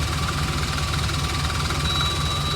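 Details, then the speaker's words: 454 V8 with rebuilt throttle body in a cabover truck, idling after ignition module replacement: thin constant high whistle from the charcoal canister vent left unhooked from the gas tank; no other vacuum leaks found. "That whistle that you're hearing right now, is the charcoal canister. This is supposed to vent to the gas tank. I just don't have it hooked up."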